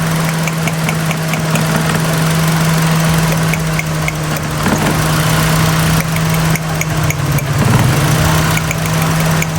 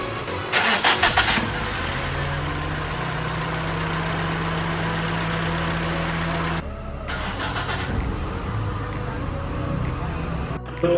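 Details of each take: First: Idling petrol car with an uneven, lumpy beat and shaking, rpm rising and falling, no scanner codes after heavy rain: misfire from water in a Chinese ignition coil on cylinder three/four; plugs also checked. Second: Petrol car that misfired after rain, with no scanner codes; water was found in a Chinese ignition coil, coil dried and plugs removed. After the repair it cranks briefly and settles into a steady, even idle with the misfire gone.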